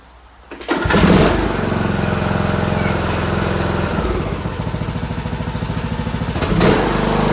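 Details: John Deere D105 lawn tractor Briggs engine after carburetor cleaning and hooking the spring back up: catches and settles into an even, steady chug with no surging, sounds way better, running smoothly.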